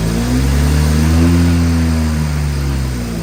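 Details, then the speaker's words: BMW 335i N54 single-turbo cold start with E85 in the tank while still flashed with an E30 tune, no port injection or B58 coils: deep, uneven, loping idle. Rough cold start from the mistuned fuel. "so this is the start and how it basically a cold start and how it starts when you have E85 in the tank and 985 tuned"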